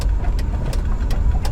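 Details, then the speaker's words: 1983 Volvo 240 wagon on new Microsquirt standalone harness, first drive: under road rumble a sharp tick about three times a second from the rear; owner suspects something wrapped around the axle. Rear noise while driving. "okay so there's a lot of noise going on back there i don't know what that is it kind of sounds like something's wrapped around the axle"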